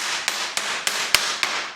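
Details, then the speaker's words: Yellowstone Park stagecoach wagon wheel with a split spoke: five quick hammer taps on the tire sound flat and dead with a slight rattle instead of ringing, showing the tire is loose and needs resetting. "平らなガラガラという音がします。もう1つは、タイヤを持ち上げてコンクリートの板の上に落とすことです。どれだけ平らな音がするかわかりますね。"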